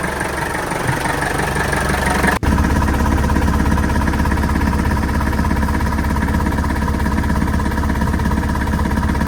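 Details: Sailboat diesel engine at steady idle after seawater hydrolock, during oil flushing runs: even clatter, about three firing pulses a second, running smoothly without misses; flushed oil still shows white emulsified water.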